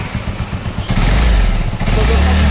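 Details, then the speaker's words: Bajaj Avenger 220cc single at idle: light, quick "ting-ting" ticking over the idle thump from both tappets, which are loose and need clearance adjustment to quieten it; bike also has an oil leak. "यहां पे देखिए sound तिन-टिंग टिंग टिंग टिंग T यह तो TP चल रहा है ना दोनों टिंग टिंग टिंग टिंग कर रहा है"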